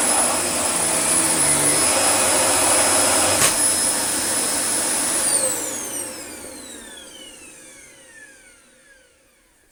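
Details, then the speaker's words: Dyson DC24 vacuum, previously blocked and unblocked, possible donor machine: steady high motor whine with even fan tone, then smooth falling wind-down at switch-off; normal running. "I can't remember what it sounds like. We will turn it on now. I think it runs alright."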